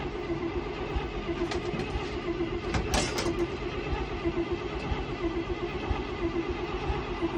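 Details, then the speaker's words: 1968 International Loadstar V8 with new Holley inline electric fuel pump replacing failed mechanical pump: starter turns engine steadily, no firing; crank-no-start from fuel starvation, stuck carburetor float. "Yeah. Brother. Doesn't sound like it's running. Alright, well, before I drain my battery all the way down, let's go see if we're pumping fuel, I guess."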